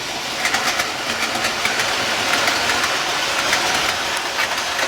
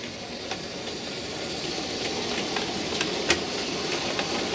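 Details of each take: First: Outdoor model railway after major track replacement with fewer joints on third/fourth radius curves: light even clicking and rolling hiss as the train runs, no stumbles or hard knocks at joints; runs smoothly. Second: Model railway locomotive at speed step four crossing a crossover: small motor whirr with sharp clicks as a wheel jumps and the guard's van rocks. A screw fix failed. Wheel clicking over crossover.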